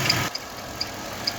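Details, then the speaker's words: Engine idling with high sharp chirps about twice a second from a new ContiTech serpentine belt, fitted with new water pump and idlers; spraying silicone on the belt stops the squeak, so check the belt before replacing idlers. "сейчас вы слышите скрип подкапотном пространстве недавно я менял помпу ролики и поставил новый ремень от компании contitech"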